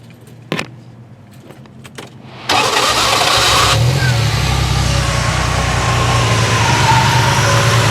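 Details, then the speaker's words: Triumph TR6 after major tune (new plugs, wires, electronic ignition, coil, rebuilt Strombergs, valve adjustment): quick crank and catch, steady even idle with barely audible valve tick and electric fan running; healthy. "You can hear the sound of the electric fan that's turned on. You can barely hear the valves ticking because it's been adjusted properly."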